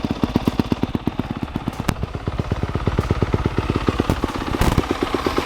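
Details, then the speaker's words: Newly bought dirt bike running cold on choke: sharp, loud popping exhaust at a lumpy idle. Idle judged fine, but the exhaust is loud and its tip banged up. "I think idle's good. Bike's loud. It's loud. We gotta get a exhaust tip too."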